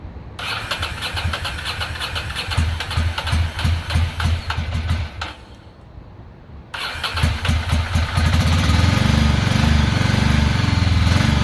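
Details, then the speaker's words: 2006 Ducati Monster 800, first run in years after fuel pump replacement: uneven, lumpy V-twin idle with a lopsided stumbling beat; front cylinder stays cold and isn't firing, probably a clogged injector, to be swapped to see if it follows. "sounds like it's only around one cylinder is pretty cold front cylinder is not firing only the back one's getting hot so we probably have a clogged injector"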